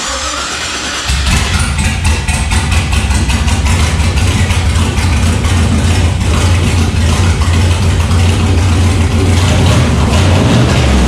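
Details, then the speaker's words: LS1-powered truck after fire damage, first proper run once remote tuning corrected a wrong firing order: lights off quickly and holds a strong, even V8 idle and light revs on all cylinders. "fired it up and holy that's the sound i wanted not um not what we're getting before"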